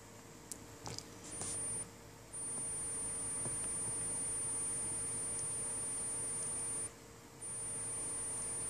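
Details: Asus GL551J gaming laptop emitting a piercing, steady high-pitched screech that cuts in and out, getting really loud; swapping memory modules stopped it for a month before it returned; cause unknown.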